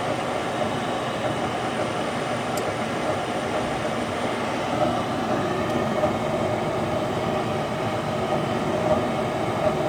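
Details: Goodman furnace after replacing the bad, humming inducer motor and gasket (had burning smell, no heat): steady, even whoosh of blower and burner with no rattle, squeal or surging; running normally.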